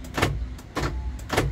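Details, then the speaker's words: 2010 Isuzu Panther LS Turbo, about 50,000 km: central locking is switched and gives three quick, crisp lock clunks. All actuators move, so the central locking is working normally. "untuk central lock ini Sentral ya saya geser dari sini Semuanya gerak ya itu sentralnya gerak semua"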